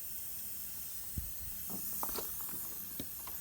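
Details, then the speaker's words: Ferguson TO20 tractor cylinder leak-down test: steady faint hiss with a few clicks as air escapes the crankcase and dipstick tube, with nothing from the radiator, head or carburetor. Compressed air is leaking past worn piston rings and the engine needs rings. "so basically what that's telling us is our engine is kind of worn out it needs rings for sure"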